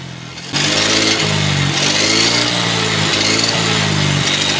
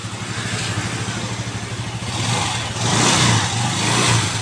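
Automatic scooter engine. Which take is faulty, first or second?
first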